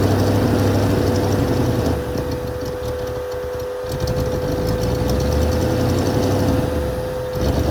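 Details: 1980 Mercedes 450SL, first start after a new fuel pump and a long time sitting, no leaks: a slightly lumpy beat around four a second with the idle speed drifting up and down; unsettled, uneven idle.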